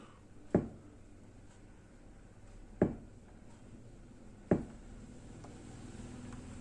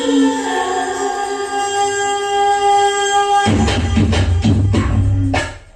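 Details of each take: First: Kenwood A-58 Pro-Logic amplifier with a no-sound fault: three sharp isolated pops when switching modes, with no music, and input only faintly audible at full volume. A faulty analog input-switching IC was found and replaced. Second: Kenwood A-58 Pro-logic vintage amplifier after a no-sound fault was fixed by replacing the analog switching IC: clean, steady music output with no hum, crackle or dropouts; normal audio output.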